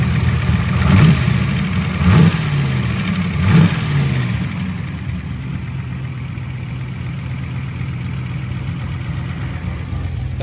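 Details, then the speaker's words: 1988 Camaro IROC-Z V8 after new lifters, distributor reinstalled, timing not yet set; throttle blips, then smooth even idle with a light, quick sewing-machine valvetrain patter, good oil pressure after warming a little. "seems like it's running better after a little bit of time once it got up to 10 got good oil pressure [Music] sounds like a sewing machine in here which is"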